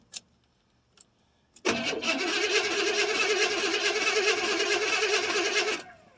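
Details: 1979 Chevrolet C10 Bonanza Big 10 with 350 two-barrel V8, not started in about a month: starter cranks on for about four seconds at a steady churn, engine slow to fire after pumping the pedal; extended cranking.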